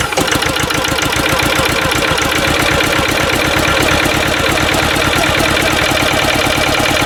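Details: Westwood lawn tractor with Ruggerini twin-cylinder air-cooled vertical-shaft diesel, previously hydrolocked, after new starter motor and rocker cover gaskets: catches right away and settles into a steady, evenly spaced chug with no knocks or misses; running healthy.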